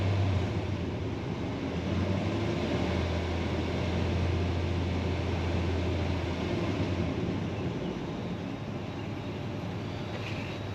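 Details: 2005 Dodge Ram 2500 Laramie 4x4, 5.7 Hemi on LPG, after clearing codes and reconnecting an unplugged sensor: steady low V8 rumble, even beat, no misses; running a lot smoother and healthy.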